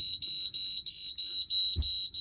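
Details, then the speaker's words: 1988 Amstrad PCW 8256 computer trying to load a very dirty floppy disk: rapid string of high short beeps, about three a second, as it starts reading then fails repeatedly; dirty disk suspected, not confirmed. "So yes, it started to read it, and then it's failed. So let's try again. There we go, that's the loading procedure. Yeah, sounds like it's failing again."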